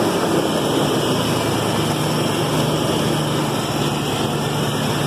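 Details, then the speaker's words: 1996 Ford Bronco after fixing a buzzing noise, which the owner blames on the fan clutch: steady, even idle at about 1000 rpm, previously under 1000, with a smooth low drone and no buzz, knock or miss. "okay so I just finished fixing my truck it runs good now it idle it idles at at 1000 rpms now"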